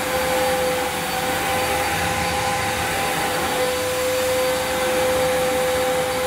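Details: Electrolux Cyclonic Lite bagless upright, circa-2005 model new in the box, first run: a steady high whine with almost no low rumble and a burning smell; owner suspects a worn agitator belt, not confirmed.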